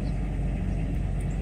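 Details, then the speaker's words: Mercedes S600 coupe V12 after start, rpm dropped back to idle: low, smooth rumble with no misses or ticking, steady outdoors; engine idling evenly on all cylinders. "working order over here engine runs good"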